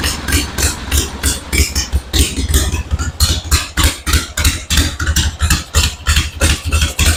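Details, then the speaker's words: 1974 Harley-Davidson Ironhead Sportster chopper at start, on battery charger: loud uneven thumping idle near three beats a second with weak or dropped beats; owner suspects ignition cutting out, sounds about to die. "I think it would idle great and give a nice smooth ride but it sounds like almost like the ignition is kind of cutting out sometimes maybe it's just my ears but it just doesn't sound smooth it sounds like it's almost about to die"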